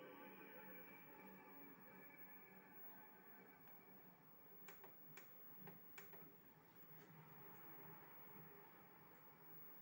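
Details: PS2 Slim SCPH-75004 that freezes: quiet console hum broken by scattered sharp clicks and a short run of four chirping ticks; cause unknown.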